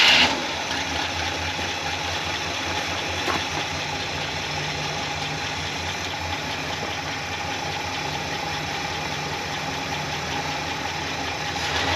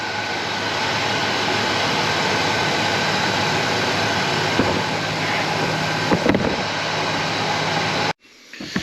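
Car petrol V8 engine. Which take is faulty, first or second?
first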